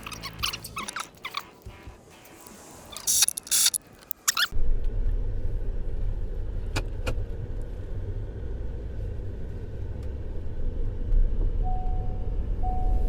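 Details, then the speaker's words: 2020 Ford F-150 started right after a coil and spark plug replacement, checked for a miss before refitting the cover. It catches after a short crank and settles into an even, steady idle with no skips. Normal idle. "Make sure it ain't missing before I put this cover back on. Sounds good to me."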